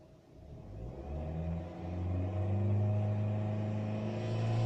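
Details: 2008 Honda Fit, 245,000 km, manual, timing-chain engine, revving: loud droning hum swelling at exactly 3500 rpm and gone above it; cause unknown.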